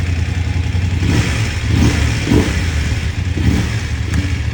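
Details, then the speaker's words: BMW F750GS at about 29,000–30,000 on the odometer, after replacing the faulty electronic throttle: engine picks up cleanly on each throttle blip and settles smoothly, no hesitation; throttle now works normally. "เร่งนะครับโอเคฮะก็ทำงานปกติแล้วนะครับ"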